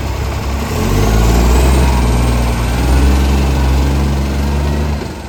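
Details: City of Joondalup Acco SL061 diesel truck: a loud, deep roar that swells and fades as load changes, rougher than normal; exhaust leak.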